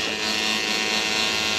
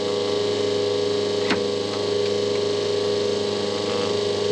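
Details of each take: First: Schenker Zen100 solar-powered watermaker on its first test run: a steady, bright electric buzz with a faint rough hiss as the pump cavitates slightly on air trapped in the system during the start-up air-purge cycle. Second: et maintenant vous commencerez à entendre la pompe haute pression commencer à créer plus de pression dans le système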